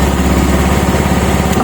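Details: Honda Vario scooter after fixing a starter failure caused by a loose socket connection: steady, even putter with constant low hum, no misses or knocks; engine idles smoothly and healthily.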